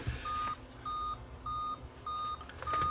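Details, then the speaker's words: Dell laptop at power-on: five even high beeps, each about a third of a second, repeating steadily. Owner suspects a dead CMOS battery. "it's beeping that means that the camos battery is I guess kaput"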